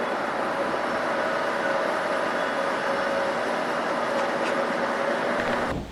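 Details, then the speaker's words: Cooper-Bessemer GMV-10 gas-compression engine (1350 horsepower) at Carson Creek, Alberta, recorded in the compressor building at about 297–300 RPM with the compressor fully loaded: steady, even roar and constant hum, no knocks or misses. Normal running under load. "now the compressor is fully loaded, and we're going back into the compressor building to monitor how the engine's running, and she's purring away."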